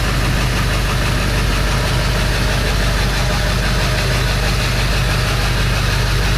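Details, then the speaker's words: 2000 Ford 7.3 Power Stroke diesel after turbo removal, pedestal EBPV rebuild and turbo reinstall, started for warm-up before a test drive: steady, even clatter with a deep rumble, no knocks or whistles; runs smoothly. "I will start it up let it warm up for a test drive so hopefully this goes good yeah here we go"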